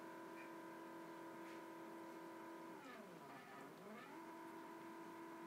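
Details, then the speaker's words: Normal stepper motors on a home-built CNC router (easy-cnc controller, KCam), step rate at its lowest, running X/Y lines and lifting and dropping the spindle between lines; a quiet steady singing tone sweeps down and back up as each axis reverses. "not sure if you can hear the stepper Motors moving in the background as it runs the lines back and forth lifts up moves over drops"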